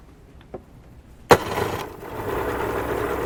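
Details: 1989 Suzuki 30hp three-cylinder two-stroke outboard, after fixing the misfire and popping by replacing the bad crankshaft seal and fuel pump: a couple of clicks, then it catches into a smooth, even idle with no popping or missing.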